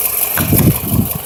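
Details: 2008 Toyota RAV4 that also consumes oil: uneven, lumpy idle with a stumbling beat breaking the exhaust rhythm; a very random misfire at idle, never repaired.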